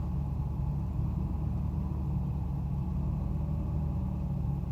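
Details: Mercedes 600SL V12 cold start at 40°F after sitting overnight, following throttle installation and MAF and lower harness wiring repair: deep steady rumble with slight unevenness as it tries to catch idle; unstable, hunting cold idle.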